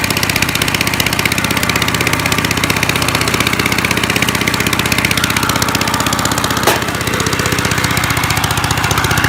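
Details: 1955 Gravely Model L single-cylinder, sat about five years, points cleaned, started in two pulls, mid throttle, neutral: loud rapid raw popping from open exhaust, slightly uneven beat; running rich half-choked, owner suspects carb needs cleaning or needle opening.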